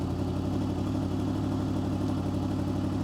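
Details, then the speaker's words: 2005 Honda VFR800 VTEC at idle after turning the right-side idle adjust knob clockwise: steady, even note holding around 1600–1700 rpm, well above the manual's 1200 ±100 rpm spec; idle speed set too high. "as you can hear, the RPMs are going up. So look at that, it's around 1600 RPM right now, or 1700 RPM."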